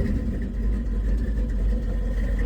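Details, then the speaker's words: 1978 Ford F150 V8, first start after reinstalling distributor (sheared roll pin in drive gear): oil pressure present but lumpy, ragged uneven idle, very unhappy; running rough, timing likely off. "And yep, we do have oil pressure. She's obviously very unhappy."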